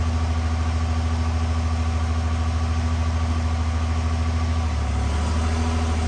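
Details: Cummins diesel (1500hp project build) at hot idle shortly after start, about two minutes in, good oil pressure, no coolant yet, before hot retorque; deep, even low rumble, no knocks or ticks: normal hot idle.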